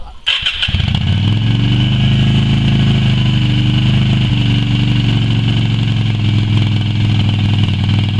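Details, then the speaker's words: Yamaha Virago XV250 restarted after six years in storage, carb primed with petrol squirts: catches within a second and settles into a steady, slightly lumpy low idle. "now I'm just gonna give it a chance to run and blow over all the out of it so let's give it a start"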